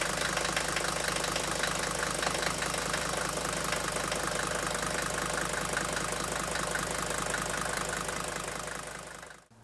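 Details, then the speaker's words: 1980 Mercedes-Benz 300D (W123) non-turbo diesel, cold start with no pre-glow and no throttle; even, steady diesel clatter settling straight into a smooth idle with no misses or knocks, a healthy engine used for comparison. "the first car here we're gonna start is a 1980 300 Dean on turbo my dad's had this car for a few years and it's just got a really nice engine"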